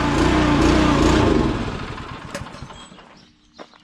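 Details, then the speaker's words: Small gas engine on a sprayer tender trailer pump: lopes unevenly at about four pulses a second, then falters and dies away; rough running, owner suspects bad gas and will drain it. "How it's doing that? It shouldn't be doing that. Oh, I thought it fixed itself for a second."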